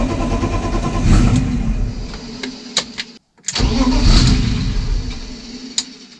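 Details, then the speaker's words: BMW E30 that cranks but won't start: the starter turns in two bursts with a steady churning rhythm and the engine never catches. Owner believes there is fuel and suspects the fuel pump isn't switching on. "J'ai de l'essence. Moi j'ai de l'essence en fait, je crois. En fait c'est juste la pompe à essence qui se met pas en ro"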